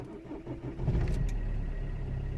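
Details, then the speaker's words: Vauxhall/Opel Corsa D 1.3 CDTi diesel with cylinder misfire and P0204, after a circuit repair where two failed resistors were re-soldered. Fuel pump heard, short quiet crank, then a steady deep even idle with no stumble; running perfect so far. Normal start. "But look, it's running perfect so far. It's gonna let it to idle for a little bit and see what happens."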